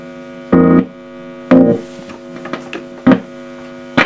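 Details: Fender Blues Junior amplifier after repairing very distorted output and re-biasing the output valves to about 35–36 mA: clean, full bass notes with no fuzz or breakup, faint steady hum; normal output.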